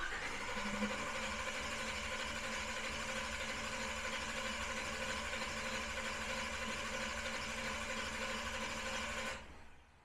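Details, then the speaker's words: Big-block Camaro during a Killshot II throttle body and Command Center 2 fuel system install, initial startup with no fuel delivered yet: steady fast whirring crank at about three turns a second with no firing, then stops; dry crank, owner wary of overheating the starter. "but I don't have any fuel just yet so I'll keep on cranking I just don't want to smoke the starter and then ruin the surprise when we start this up here soon"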